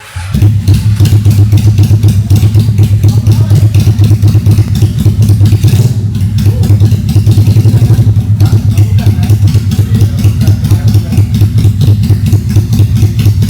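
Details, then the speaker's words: Honda Steed 400 chopper build on its original stock exhaust, first start after completion: deep loud uneven V-twin thump, steady and strong, no knocks or rattles; healthy engine. "Aman, suara mantap Jon ya? Suaranya sih mantep."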